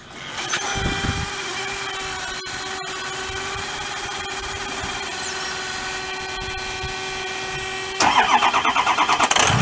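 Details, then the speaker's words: 2004 Ford F350 6.0 diesel, EGR delete, started just after oil change with Turbo Maxx additive: cranks, catches, steady idle with light ticking ping over rattle; already quieter, ping expected to fade as additive works. "Once that fuel additive gets up in there, what the fuel additive does is it reduces the temperature of combustion."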